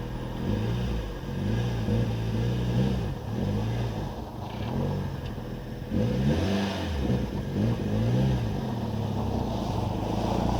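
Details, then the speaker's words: Mitsubishi Evo 6 with Kaaz clutch-pack limited-slip differentials front, mid and rear, after Amsoil LSD treatment and figure eights and circles: engine swells through tight turns with no clicking or chatter; normal limited-slip differential operation. "okay guys it's not clicking anymore that I can really hear so I think I did good"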